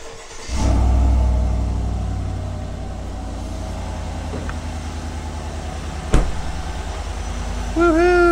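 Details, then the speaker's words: 2020 Chevrolet Silverado LTZ, almost 60,000 miles, after replacing squeaking serpentine belt: engine catches quickly and settles into smooth idle with no squeak or chirp from the belt; fix successful, runs like a kitten. "success buring like a kitten"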